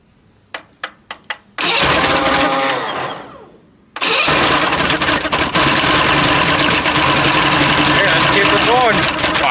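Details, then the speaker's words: Mercury Classic 50 two-stroke outboard, free motor, starting fluid sprayed into carburettor, no fuel system fitted yet: a few sharp ticks, then it catches and buzzes, dies briefly, restarts and holds. Normal running on starting fluid. "Boys, I think we got a running motor here. I think we're just going to have to find a fuel system."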